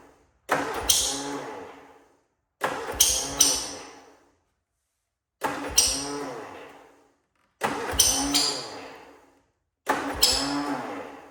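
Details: Cub Cadet Cyclops with a twin-cylinder Kohler 18, smoking, oil just changed to 10W40, cold start: five short bursts that catch, stumble and die; not firing on both cylinders, blown head gasket suspected, owner also suspects muffler, coil or plug.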